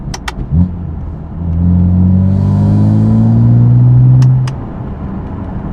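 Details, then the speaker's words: BMW F80 M3, warm, in-cabin, windows up, light throttle with prototype equal-length midpipes installed: deep steady boom builds and holds around 2000 rpm; 2K drone persists, clears above about 2300 rpm. "yeah unfortunately I still hear the 2K res other than that I think both prototypes are about I would say the same soundwise"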